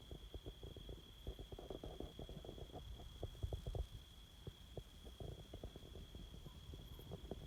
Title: High voltage power lines making chatter noise